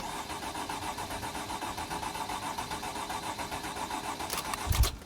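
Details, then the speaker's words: 2008 Freightliner/Dodge Sprinter 3.0 L diesel with code P0335, crank no-start: the starter spins the engine at an even chug for five seconds without firing, and the crankshaft position sensor gives no square wave despite good wiring; the sensor is suspected, with the reluctor wheel still to be checked. "but as i'm cranking the engine i hope you can hear the engine cranking nothing is happening so no square wave being created from this sensor"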